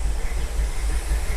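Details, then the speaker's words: 1957 Chevy V8 revived after sitting for years, idling once a stuck carburettor float came free: a deep, loping, throbbing big-cam idle, steady and strong. Oil pressure is 35 psi at low rpm and temperature stays low; it sounds healthy. "Listen to that cam. Oh, it's actually idling now. Maybe the float came unstuck."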